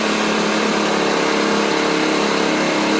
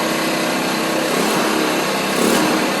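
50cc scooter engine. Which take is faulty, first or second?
first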